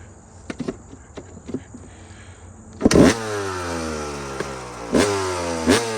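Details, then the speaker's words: Two-stroke dirt bike after repacking a found-empty Pro Circuit silencer and welding a broken joint: light clicks, then fires and revs cleanly with crisp, muffled exhaust; now sounds as it should. "but now it sounds like it's supposed to"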